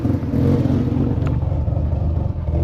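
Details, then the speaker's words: Freshly rebuilt RX-7 FC 13B NA rotary after about 5 miles, timing set only to a baseline: idles high and wavers up and down; oil pressure, temps and voltage good; owner suspects timing needs adjusting. "I mean, the idle is a bit high, but um and it's a little jumpy, but that could be due to the timing stuff."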